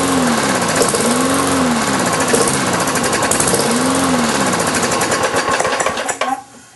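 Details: Briggs & Stratton engine transplanted onto a Lawn-Boy mower deck, sat since March, fresh oil, 89 octane fuel with Marvel Mystery Oil: chatters unevenly, surging and fading, then dies; hard starting, rough running; owner suspects carburetor diaphragm.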